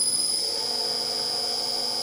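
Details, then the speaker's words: Motor on a Taiwanese drill press converted from a 4-speed belt drive to a Huanyang VFD, belt removed so only the motor is heard, at the default 4 kHz carrier: piercing constant high-pitched whistle over faint hum, carrier frequency whine. "there's a high-frequency whistle coming from the motor so I stopped the spindle because I've taken the belt off"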